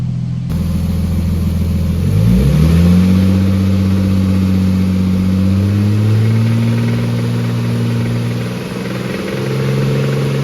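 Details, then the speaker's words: Nissan R32 GTS4 RB20 six-cylinder knocking badly from a suspected spun bearing: no knock audible at idle, but blipped and held at a certain rev range a rough, uneven knocking shake comes in; engine due for rebuild. "It is knocking bad. You can't actually hear the knock on idle. Not even if you listen closely, it's just not there. It's only at a certain rev range it starts to fair shake around."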